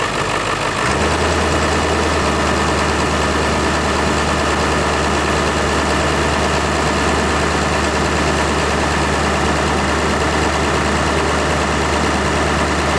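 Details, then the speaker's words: Camper vehicle "Judy" idling after a new vacuum pump replaced one that knocked, air box still off: catches within a second and settles into a smooth, steady idle, even low drone, no knocking; healthy. "The new vacuum pump is installed. We got everything put back together except for the air box. So we're gonna fire it up and see if it makes a change. There we go."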